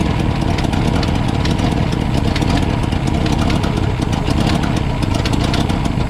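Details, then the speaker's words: 1962 Ford F-350 with recently rebuilt carburetor: loud, lumpy idle with an uneven, stumbling beat; owner suspects too rich at idle with mixture screws 1.5 turns out, cause unconfirmed. "i really think we're too rich at idle but i only started the screws one and a half turns out"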